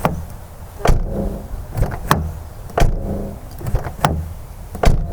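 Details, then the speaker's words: 2013 Lexus GS350 driver door, before sound deadening: several sharp slams, each thud followed by a tinny metallic rattle, like loose metal shaking inside. Present since purchase; owner suspects damage from two front-side accidents or heavy use. "Now, one of the biggest reasons I want to do this is currently my driver door, when you close it, it makes a metal kind of rattling sound. It kind of sounds like metal shaking around in"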